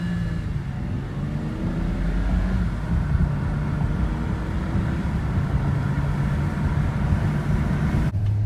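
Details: 2006 BMW 325i N52 six-cylinder at idle: deep rumble wavers and pulses unevenly instead of staying smooth; rough idle, cause unclear.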